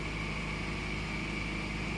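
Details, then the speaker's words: 2001 Toyota Camry at about 227,075 miles, after replacing 77k-mile spark plugs that caused rough idle and misfire: even, steady idle hum with a faint constant whine and no missing; normal idle, misfire gone. "for a bit this car has 220 7075 miles and I really take care of this car no miss no missing at all"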